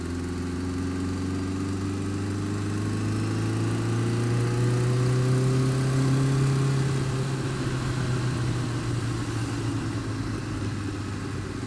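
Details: Honda Fireblade engine revving up and down with an even note and a light rapid tick, worse when cold, quieter but not gone when warm; cause of ticking unclear.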